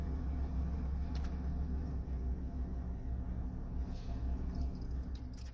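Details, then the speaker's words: Ford F350 crew cab 4x4 pickup idling with steady low rumble after turn signal multi-switch replacement; dash clicking (relay-like hazard/blinker clicking) now gone, blinkers, hazards and wipers work. "Right blinker works. Hazard lights work. Windshield wipers work. I am overjoyed that all this got done. The clicking is now gone."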